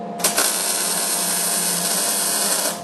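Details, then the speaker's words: Beginner MIG welding square tubing for a coat rack. Steady, even frying crackle for about two and a half seconds without pops or sputter; a smooth, well-tuned, normal MIG arc, though the bead missed the line. "All right, that sounded very good."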